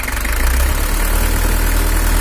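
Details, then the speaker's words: Toyota Hiace LH11 diesel (2L) pickup after engine tuning. Heavy low idle clatter with a pulsing, uneven beat; camshaft or a nozzle suspected uneven: rough idle, cause unconfirmed. "Suaranya udah agak mantap, tapi ada suara kayak bubuknya gitu, atau bisa jadi dari nozzle ada yang kurang abot."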